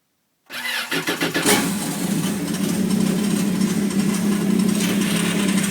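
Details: FZR engine catches after a few quick cranks and settles to a steady idle, with a faint, thin, high squeak riding on top; the source is unclear.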